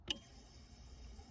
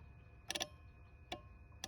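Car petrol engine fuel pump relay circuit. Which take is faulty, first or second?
second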